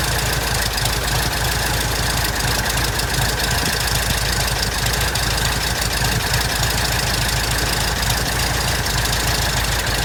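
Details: 1967 Citabria aircraft, first start after restoration: even, steady idle pulse of about three beats a second, clean firing rhythm, no knocks or misses; normal idle.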